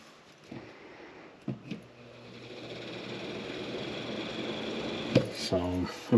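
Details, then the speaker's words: Bathroom exhaust fan that the tenant said made a loud noise: low motor hum that builds slowly as it struggles up to speed; greasing was considered but rejected, and the motor is being replaced. "you can hear the hum and then it takes a little bit to to get"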